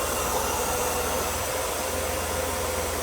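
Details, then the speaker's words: Mercedes W124 M103 after a water pump and cooling-system job with the valve cover painted, just started before warm-up and possibly low on coolant: even, quiet, low thrumming idle with no misses, knocks or ticks. Normal idle. "That sounds pretty quiet. Hopefully I did a good job. Let it warm up and probably could add more coolant to it. Wow, smooth."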